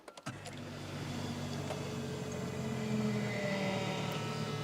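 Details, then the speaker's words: BMW E46 320d diesel, fuel tank drained and refilled with about 20 litres, new fuel pump primed 5–6 times: clicks, then a steady electric hum held for several seconds. The pump sounds noisy, suspected to be bleeding air, and the pre-supply pump is also noisy. "Yep, fuel pump sounds quite noisy. I guess it's just bleeding all of the air out of it."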